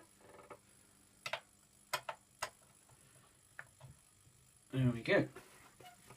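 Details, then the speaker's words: 1967 Fender Vibrolux Reverb warming up after service, with valves fitted (Telefunken in V5, RCAs elsewhere): faint, irregular sharp ticks, a few per second at most; the GZ34 rectifier is suspected, not confirmed. "those warm up and then we'll measure our plate volts again you hear that ticking where's my is that gz34"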